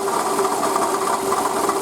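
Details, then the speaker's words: Toyota Camry 40 2008, 2AZ-FE 2.4 L, 176,000 km, original pump and idlers, belt tension adjusted: fast even ticking clatter over steady ringing tone, knock louder at full tension; original water pump was the cause, pump, belt and coolant replaced. "Все Мои подозрения оправдались это была помпа так кошмарно стучала и напугала меня очень-очень сильно"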